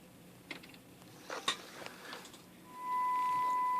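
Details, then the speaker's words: Kraco KCB-4030 AM-only CB radio on test bench: clicks then steady 1 kHz test tone heard on adjacent channel with only 50 microvolts input; poor adjacent channel rejection, bleed-over into neighbouring channels. "Yeah, that's not a good sign. When you're getting bleed over with only 50 microvolts."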